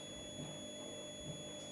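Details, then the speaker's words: Hantarex Polo arcade monitor chassis, multimeter continuity test on the horizontal output transistor: a steady high-pitched beep holds unbroken with the ground on the middle leg, reading 005; dead short, the horizontal output transistor is blown. "and gives me a 005 on the reading, that is definitely showing that's a blown hot."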